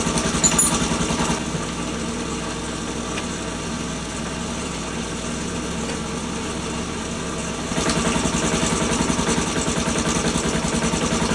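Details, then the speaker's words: Postie bike single-cylinder at warm idle after cam chain tensioner adjustment: even patter with light top-end chatter, a slight sound remaining but steadier than the earlier on-off noise. Cam chain tensioner noise, much reduced. "Still got a slight sound. A slight sound, yeah."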